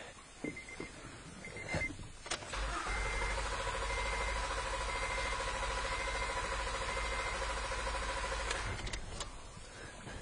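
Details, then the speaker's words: 2012 Honda Odyssey with unstable idle, hesitation and poor fuel economy but no codes, relative compression test: starter turns about 200 beats a minute at an even cadence with no skipped beat; compression even across cylinders. "we can see from the amplitudes here that we do not have a compression problem on this car at least as far as relative compression uh so that is no one cylinder is missing or anything"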